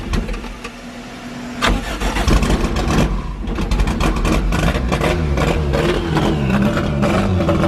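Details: Forged Toyota 5EFE with big camshafts, first start, hollow dummy gearbox and stress-cracked flywheel bolted on: cranks and catches into a loud, choppy, lumpy idle with blips; cams make it much louder; normal start and idle.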